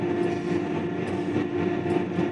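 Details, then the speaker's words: Big Bud tractor being towed, not under its own power, after its divider chain broke: a steady mid-pitched whine over a rolling rumble with no knocks or grinding, which is normal planetary and axle gear noise, not the transmission as long assumed. "But I can hear a mechanical sound whining, and that's got to be the axles. It's the only thing, planetaries and axles, that are moving right now."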